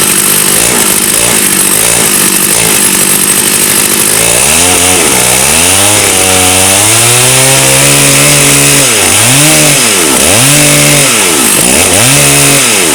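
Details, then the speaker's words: Stihl 084 AV chainsaw, about 35 years old, rescued from the tip, after setting the L and H carburettor screws all in then back one turn: steady idle, then clean crisp revs up and back down; running normally. "I think we'll take that as a win."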